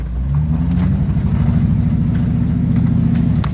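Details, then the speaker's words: Gas truck V8 with a deep, lumpy, stumbling beat through the rev, sounding like a motorbike while driving; a bad misfire with the engine light on, three coils already replaced, all eight new coils and boots suggested. "it's it when it's driving down the road it sounds like a freaking motorcycle's driving by that's how bad it is"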